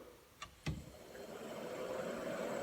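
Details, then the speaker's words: C3 Corvette heater blower motor bench-tested off the car on a 12 V DC supply through the low/mid/high switch, held by hand: switch click, then soft even whir building smoothly, no rattle or scrape; normal blower motor operation. "This way I can test and make sure that the low, mid, and high function of the switch is working. So I hook up power to the switch and then ground to the fan."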